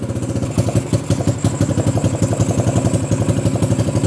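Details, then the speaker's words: XR150 clone motorcycle, first start after carb work and a brief battery charge, enricher cable newly fitted: even single-cylinder thumping near three beats a second, clean and regular with no misses or knocks; running well, carb issue confirmed fixed. "Wow, that started right up. So clearly a carb issue. Now let's see. Oh yeah, that seems to run really well."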